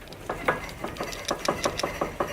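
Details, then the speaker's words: BMW E60 lower front control arm rocked by hand: sharp hollow knocks, about five or six a second, from a worn, loose bushing with rubber bulging out; owner links it to steering-wheel vibration at 80–90 km/h, before replacement with new suspension parts. "Schaut mal hier, das ist der untere Querlenker. Ich wippe jetzt nur mal hin und her."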